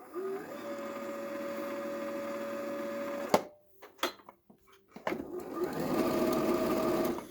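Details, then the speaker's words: Used Janome 2030QDC computerized sewing machine before any lubrication, needing service: steady mid-pitched motor whir with faint hum, stops then resumes; noisy running, dry mechanism suspected. "As you can see, sound of the machine without doing any lubricant. We will hear the sound after when we do the lubricant."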